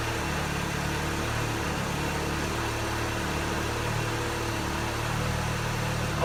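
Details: Honda with 90k original miles, after an oil and filter change and valve cover gasket, with the fuel pump primed three times: steady, low, even idle with no knocks, misses or ticks; smoke is thought to be debris burning off the header.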